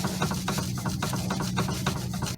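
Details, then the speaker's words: Toyota Sienna front end clunk: repeated dull clunks, a few per second, as the tie rod is rocked by hand; there is play inside the steering rack, so the rack is defective and the inner tie rod, first suspected, is not at fault. "it has a play inside so it's loose inside so this uh this steing Ro is defective that is the thing it's not the inner tie r as I thought"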